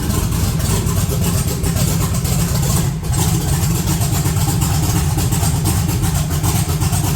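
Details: Cold 1982 S10 running rougher with raised rpm and heavy vibration. Points look good and oil pressure is 60 psi; a vacuum leak or bad plug wire is suspected. Rough, stumbling idle with dips, misfiring.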